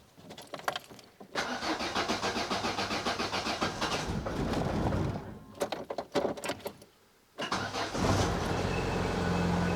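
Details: 1990 Opel Kadett E being revived, first start after refitting parts with battery somewhat low: starter churns in bursts after the fuel pump primes, then the engine fires and settles to a steady, even idle with no misses; healthy start.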